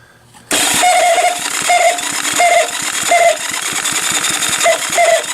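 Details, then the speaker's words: Small Honda engine cranked on a 6-volt battery-charger supply with a condenser fitted, checking for spark. A steady chuffing cranking beat with a short high squeal about every second: the starter's internal clutch squeaking. "That squeaking is the clutch inside the starter is a little funky, but just making sure I'm not getting any kind of weird voltage."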